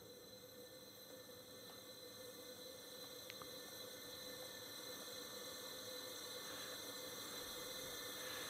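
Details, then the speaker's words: 1999 Generac 5000 W generator, Tecumseh HM100 10 hp flathead that lost compression and won't run; leak-down test shows 100% leakage, steady hard hiss of air escaping at top dead centre: big exhaust valve leak, head to come off to fix valve. "And yeah, so obviously a big leak, and I can hear it right here. So it is the exhaust valve, 100%."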